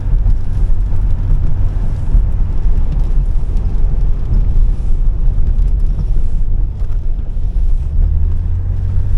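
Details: 1985 BMW 635CSI driving at about 20 km/h on a wet road after the alternator field wire was fixed, charging 14 volts: steady low engine drone under road rumble, even and smooth with no knocks or misses; engine runs normally.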